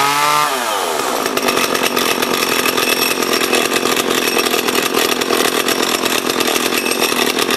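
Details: Small junk chainsaw being revived revs quickly to a high, steady buzzing scream and holds it evenly while cutting; it runs strong and clean, the chain brake works, and the oiler may not be oiling.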